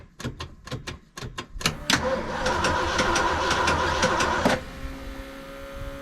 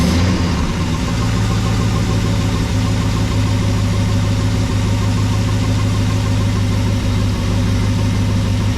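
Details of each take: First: 1974 Ford F100 4x4 with 390FE big block and electric fuel pump: starter grinds, engine catches and runs lumpy with a burble and stumble, then a ragged idle; misfire, owner swapping in an original spark module. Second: 1974 Ford F100 4x4 with 390FE big-block V8 after carburetor idle mixture screw adjustment, idle about 750–780 rpm, around 50 psi oil pressure, some blue smoke. Low, steady, even idle with no misses; sounds a lot better.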